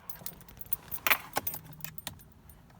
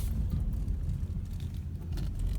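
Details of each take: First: Car that would not start right after refueling, after a new part was installed, started at the gas station: a short crank that catches promptly and settles into a steady idle. The check engine light is for a pending thermostat. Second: Car just after refuelling; low, lumpy idle sagging and surging nearly to stall for 10–15 seconds after hard starting, then fine for the tank; faulty stuck-open vapor canister purge valve, fixed by replacing it.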